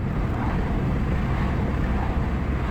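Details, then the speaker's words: Ford Mondeo Mk4 1.8 diesel, previously in limp mode with fault P2263, driven after a carbon clean and code erase; smooth steady pull under load in fourth gear over road and wind noise, no stumble or power cut, accelerating normally. "Look at that, fourth gear now. No problem at all. Still pulling away lovely."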